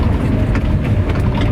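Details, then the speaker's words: Renault Trafic with swapped-in C1J engine idles low at about 600 rpm per the rev counter, with a low, uneven, slightly lumpy rumble close to stalling; quieter than before the swap, but the idle is too low. "bon je sais pas si mon ralenti il est bon parce que là le contour m'afficher comme quoi que j'étais au ralenti dans les 600 tours minute donc c'est pas énorme"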